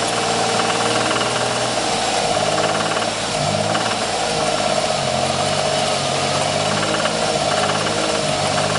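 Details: 1994 Ford Taurus SHO V6 at idle: busy, rapid metallic clatter. The knock developed about 500 miles after a timing belt change; source unknown.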